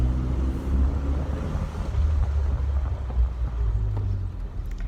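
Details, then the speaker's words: 1994 Ford Ranger M5R1 manual transmission after rebuild with new cluster gear and input shaft, driving with low steady engine and road rumble; previous gear whine gone, gearbox now quiet. "so the dangerous Ranger number two transmission is happy no more whining that sounds like success"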